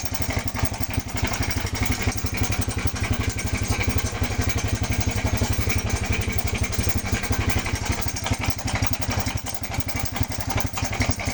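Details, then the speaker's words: Motorcycle engine idling with a loud, busy metallic clatter; with the cover removed, the timing chain has lost tension, its chain guide and roller guide are worn down and the tensioner spring is suspect. "aan nabaklas na yung cover so ito yung dahilan kung bakit maingay maingay yung makina ito yung timing Chin niya ano na wala ng tens"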